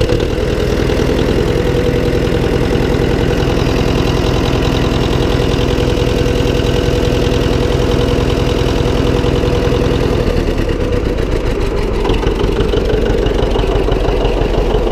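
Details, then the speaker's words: John Deere 720 two-cylinder diesel tractor first start after repair: slow lopey idle with faint scraping rub each turn as the flywheel catches its cover slightly. "if you hear that noise the flywheel is scraping on here a little bit fiery was rubbing on the flywheel cover just a little tiny bit"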